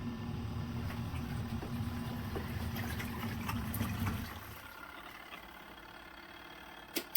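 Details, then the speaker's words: Twin-tub portable washer's spinner side spinning clothes nearly dry: smooth constant low drone about four seconds, then coasting down; healthy, no knocks or rubbing. "got the spinner on the other side that spins it almost dry at least it rinses and Spins all the water out"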